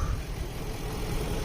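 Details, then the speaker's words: BMW V8 at a Copart auction, at idle: low, steady rumble with an even beat and no ticks or stumbles; the V8 idles smoothly and sounds normal. "She doesn't sound bad."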